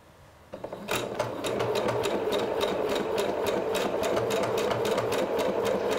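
Steady quick needle clatter, about three or four stitches a second, smooth and even with no knocking or grinding; machine is sewing normally.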